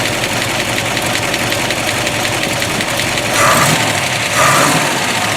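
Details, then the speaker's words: 1957 Corvette 283 small block, 270 HP, factory dual quads, 3-speed manual, 4.11 gears, solid lifters: lumpy V8 idle with light, fast valvetrain ticking and two short throttle blips; normal solid-lifter clatter, sounds real good. "Still has the solid lifters too. You'll be able to hear those."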